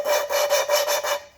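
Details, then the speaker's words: Mopar 361B four-barrel cylinder heads, valves hand-lapped with grit compound: quick, gritty rasping strokes about five a second as the compound cuts valve and seat, quietening as the grit wears out; the lap is still biting. "You can hear that grind. That's what we want. And as it goes on, you'll hear it starting to get quieter as it works that grit out of there."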